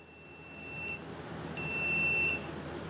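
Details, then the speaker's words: Husqvarna 150BT backpack blower that won't shut off with its switch; continuity meter on the kill-switch wiring beeps steadily, cuts out, returns and drops as the unsplit loom is flexed; intermittent open circuit from a broken wire inside insulation. "Sometimes you move the wire around and you'll find it because this loom is not split."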